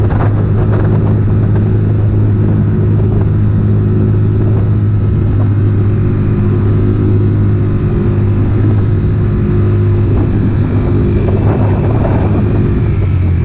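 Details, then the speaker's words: Circa-2020 Mercury 6hp four-stroke outboard, after carburetor disassembly and jet cleaning to cure stalling and sputtering since winter storage: steady, even low drone at constant speed with no misses or surging; running normally. "But she started up eventually. Running pretty good. Give it some more test runs."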